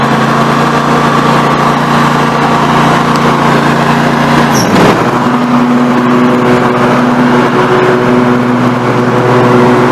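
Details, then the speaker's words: Snapper NXT 25-48 riding mower engine after carburetor replacement, now warm: smooth, even beat with a steady tone, a brief dip as the throttle is moved, then settles; normal idle. "everything looking good I'm 90 warm and then I'm gonna cut it for Bridal"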